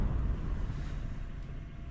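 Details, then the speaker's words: Metal-blade box fan that was stiff and just oiled, on low: slightly labouring hum with soft whoosh; motor still slightly tight, owner thinks the oil-wick bearings need to soak up oil. "There we go. Sounds like the motor's still just slightly, we'll suck at the grill in, slightly tight."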